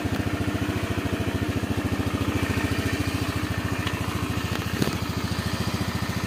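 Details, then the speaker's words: Honda Beat FI scooter after engine rebuild replacing worn left crankshaft bearing (overheating from blocked cooling suspected): even, regular firing pulses at a steady smooth idle with no growl or knock; CVT parts still need replacing. "Nah ini bosku ya, hasil akhirnya bosku ya, halus bosku suara mesinnya. Jadi nggak ngorok kayak kemarin ya, rok kayak gitu. Oke, halus suara mesinnya."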